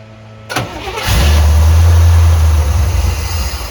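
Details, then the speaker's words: Corvette C3 carbureted V8, first start in two years after priming fuel into the carb: cranks, catches after about half a second, then runs with an uneven, lumpy, surging rumble; owner suspects it just needs a carb adjustment. "Yeah, it just needs a carb adjustment."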